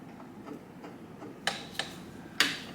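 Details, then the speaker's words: 1989 Kawasaki KX80 engine being rebuilt, cases just bolted together, in neutral, crank turned by hand: a few sharp, uneven metallic ticks inside the cases; rod hitting suspected. "And the crank is moving. Okay. Don't know if I like that noise. It's that noise I was talking about."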